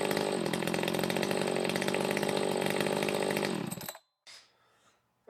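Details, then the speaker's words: Echo 590 chainsaw with a used 620 cylinder, muffler mod, timing key advance and swapped carb fuel nozzle, straight off the dyno: steady, crisp high-revving buzz for about four seconds, a healthy two-stroke exhaust note pulling evenly. "right so we got this fresh off the dyno I said it has a nice healthy exhaust note to it now not too crazy definitely more in stock"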